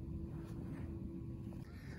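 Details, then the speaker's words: Submersible cistern pump in a newly installed rain-collection system: steady low motor hum while no water is moved into the house; an airlock on first startup is likely, or a blocked intake. "in this case i can hear the pump motor humming but since it's not transferring water into this into the house what's likely happening is either the intake is blocked or more likely there's an airlock in the system which often occurs when first starting up"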